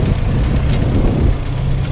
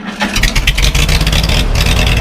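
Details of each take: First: Farmall H four-cylinder tractor, first start after winter on a cold day, warmed up with oil pressure and charging: deep steady even chug after initial rough sputter smoothed out; normal warm idle. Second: Farmall H on its first start after winter, on a cold day with thick oil and the choke on: it catches and sputters with uneven firing, then smooths to a steady low chug as all four cylinders come in; rough cold-start idle that clears.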